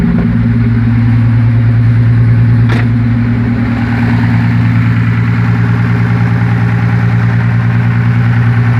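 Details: Toyota Supra 7M-GE, new engine driven only twice; at idle a sharp, even tap about three times a second, owner thinks it comes from under the valve cover and wonders about rod knock, cause unconfirmed.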